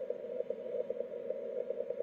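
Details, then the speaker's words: 10 GHz beacon transmitter on the bench heard on a receiver 1 kHz off frequency: steady tone with sharp clicks at key down and key up of the 10-second carrier; key clicks still evident 3–5 kHz off, fading by 10 kHz. "here's the key clicks at 1 khz off frequency that single one was when it went key down on the 10 seconds of carrier"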